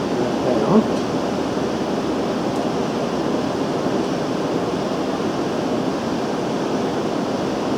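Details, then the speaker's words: Homemade wet grinder, newly finished, first try with undressed stone; steady even whir, no knocks, rubbing or speed changes: normal running. "I didn't dress that stove or anything it sounds like it's running nicely nice and even"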